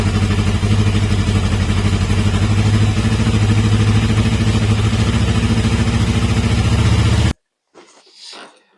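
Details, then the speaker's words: Carbureted inline motorcycle engine after timing chain replacement: even exhaust pulses at about 200 a minute with no grinding or chain rattle before it cuts off. Clean idle; the earlier grinding noise at 5–6000 rpm is fixed. "Quoi qu'il en soit, mon problème s'est réglé."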